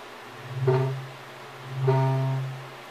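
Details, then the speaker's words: Wedge monitor converted into a SubKick microphone, plugged in and gain turned up: two low howls near 150 Hz swell and fade about a second apart, feedback because the monitor-microphone hears the speaker. "okay now it's already starting to [Music] hum hold and I'll actually turn the gain up some more so it starts feeding"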